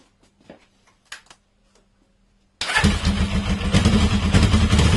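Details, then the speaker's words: Carbureted inline motorcycle engine started after its timing chain was replaced: a few seconds of quiet, then it catches right away and settles into an even, steady idle. The earlier grinding noise at 5–6000 rpm is gone. "Quoi qu'il en soit, mon problème s'est réglé."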